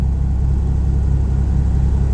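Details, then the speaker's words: 1988 Chevrolet S10 Blazer at idle with the original muffler cut off: deep, loud low rumble with an even throb, no muffling. Open exhaust during muffler replacement. "well since I got the muffler off Melville started that see how it sounds like was no muffler"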